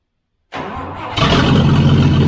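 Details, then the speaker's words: FJ40 Toyota Land Cruiser winter project starting and running smoothly, with no coolant hooked up and the carburetor bowl refilled. After a brief crank it catches and settles into an even idle with no misfire or knocking. "I'm actually very impressed with how well this runs that's really awesome"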